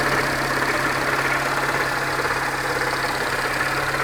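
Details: 2004 Peugeot 307 1.4L petrol at idle: a regular light knock in time with the revs over a steady hum. It persists after a full timing belt kit and with the crankshaft pulley removed; the source is unidentified.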